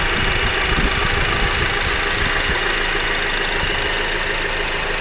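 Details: Honda Accord four-cylinder sedan idling, hood open, microphone at the engine block; light even diesel-like clatter, no knock or miss; normal idle.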